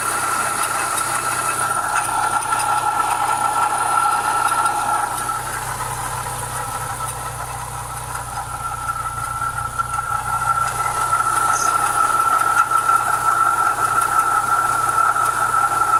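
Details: Renault Clio 172 petrol engine at idle and running: steady metallic grinding whir from the timing belt area.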